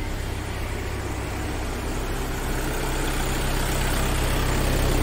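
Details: Volkswagen Taigun idling after battery replacement fixed long cranking and no-start from a bad-cell battery, warning lights cleared; even steady hum with slight speed rise toward the end, no ticks, knocks or stumbles.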